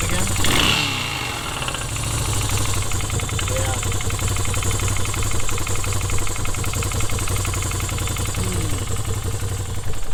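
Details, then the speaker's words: Moto Guzzi that stranded its owner, suspected of running without oil, running: rapid light ticking over the exhaust beat, heard down the block; top-end valve noise, top-end rebuild suspected. "did you hear that top end noise um hmm I can kind of hear it here down the block uh I mean what should I tell him I'm kind of it's kind of sad right uh I mean top end rebuild you're gonna have to pull the valves pull the cams if it's overhead cam"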